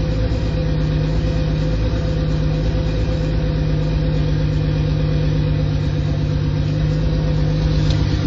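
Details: Mk3 Toyota Supra engine at almost 100k miles at idle: a steady low idle with a dull, regular knock under the exhaust note; owner says rod knock.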